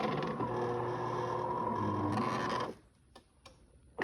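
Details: DeLonghi fully automatic coffee machine, brew unit travelling: rhythmic grinding creak about four times a second, then stops; dry brew unit lift rail, fixed by oiling the rail.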